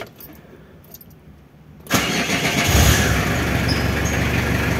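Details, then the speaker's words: Renault Kangoo F8Q 1.9 diesel fitted with a mechanical Bosch VE pump instead of the Lucas Delphi DPC, started on the key: catches immediately and settles to a steady, even idle; once warm, possibly slightly noisier than with the Lucas pump due to the pump. "ahora el motor ya está caliente aprendió el ventilador y claro ahora puede ser de que el motor se escucha un poquito más Peque la bomba Lucas pero eso es por la bomba"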